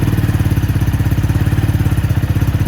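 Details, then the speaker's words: 250cc X22R Max single-cylinder motorcycle restarted after valve adjustment and reset: even, steady thump at about twelve beats a second with no misses or clatter; clean, healthy idle. "And you notice right away, this is how nice it's running."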